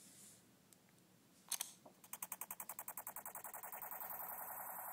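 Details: iPhone 4, factory condition, not jailbroken, no apps running: pressing lock triggers a fast train of sharp clicks, about three to four a second, settling into a steady buzz before it stops; cause unknown.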